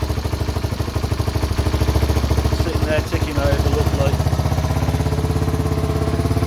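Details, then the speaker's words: 1978 Honda XL250 single-cylinder barn find, after rebuild with fresh oil and tappets set: quick even thumping idle, steady beat, no ticking or clatter, earlier bad noise gone; normal idle. "yeah i feel so much better now now set the topics on it it sounds great it's uh come a long way from what we started with"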